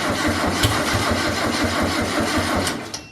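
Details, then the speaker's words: MG Midget with engine swap, first start after completing fuel system: catches and runs with a loose, uneven low beat under three seconds, then dies; won't idle on its own, cause not yet found. "It won't idle on its own, so we're trying to figure that out."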